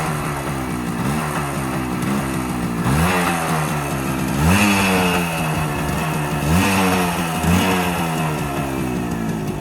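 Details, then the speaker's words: Old two-stroke barn-find moped with a screwdriver jammed in the ignition: raspy buzz catching and revving in short blips, pitch rising and falling, then settling into a steady run that sounds stronger; normal running. "Now that sounds a bit stronger."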